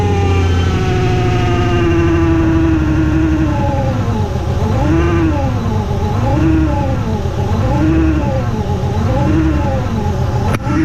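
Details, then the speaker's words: Ford Mustang 3.7 V6 with newly installed supercharger kit, first start: idle with clear high supercharger whine swelling and dipping with revs, instantly audible; normal supercharger whine. "You hear it? It's instantly just whee!"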